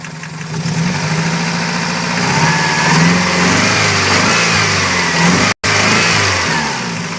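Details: 1992 Toyota Celica 5S-FE engine idling then revving: a loose rattle that rises with revs over the engine note; cause unclear.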